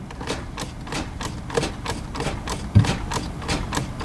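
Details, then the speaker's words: Towed-in Kia with 134,019 miles, oil at the very bottom of the dipstick and at least 3 quarts low: sharp, even knocks about three a second over a faint idle. Engine knock; it most likely needs an engine. "All right, fresh off the tow truck. What do you think it is, boys? Needs an engine."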